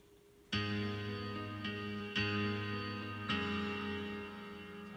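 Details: Bose Wave radio/CD AWRC3G after repair of liquid-damaged U600 TL074C op-amp area and a replaced 100k part: clean music, plucked notes ringing clearly, no hum, hiss or crackle; normal playback.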